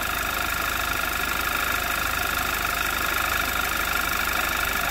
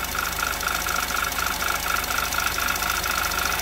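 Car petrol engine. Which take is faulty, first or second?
second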